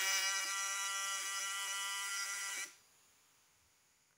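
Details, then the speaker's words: Ignition coil test with a faulty condenser fitted: harsh, raspy vibrator (points) buzz lasting under three seconds, then silence; secondary output only about 50–70 V AC; rough buzz from failed condenser. "padahal hasil dari suara itu tadi udah menunjukkan bahwa kondensor ini sudah tidak layak dipakai atau sudah jelek"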